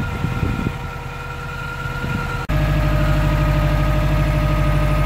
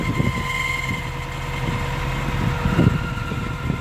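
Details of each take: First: 2012 Subaru WRX at about 90,000 miles, driving warmed up in winter: a steady, even engine drone with no squeal from the clutch. The owner suspects the throwout bearing for a screech on cold starts that fades after a minute or two; here it is quiet. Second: 2012 Subaru WRX at about 90,000 miles, cold morning idle: thin high squeal over low rumble, gone when clutch pressed and after a minute or two; owner suspects weak throwout bearing; squeal at idle.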